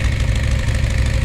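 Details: Dodge Challenger 440 Six Pack V8 with an 833 4-speed manual: steady, slightly fast idle with a deep, lumpy exhaust rumble; the owner hears a slight thumpy rumble and is considering removing the packing from the rear mufflers.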